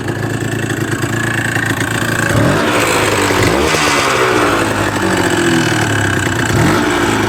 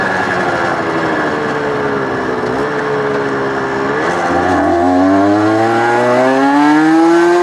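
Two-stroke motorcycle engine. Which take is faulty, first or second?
first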